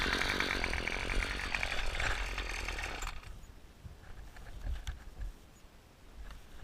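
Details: Two-stroke weed wacker (string trimmer) won't start on mowing day: a ragged burst of cranking and brief firing that quickly dies to near silence, never catching and running; cause suspected, not confirmed.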